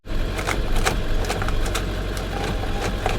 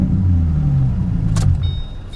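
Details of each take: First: Salvage auction car listed with mechanical damage, started on booster pack: dull irregular clunks over steady drone, never tries to start; engine suspected locked up. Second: Salvage auction car with V6, automatic, aftermarket muffler (Flowmaster or MagnaFlow type): deep even low rumble easing smoothly, no misses, rattles or knocks; healthy running; blend door clicking noted separately.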